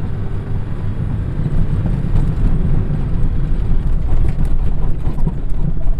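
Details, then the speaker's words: Chevy Corsa passenger-side door, driven over a rough dirt road: irregular light knocks and a sharp tapping over heavy road rumble from a loose door not latching properly. "y si escucha el golpeteo el sonido de un sonido agudo de mi puerta"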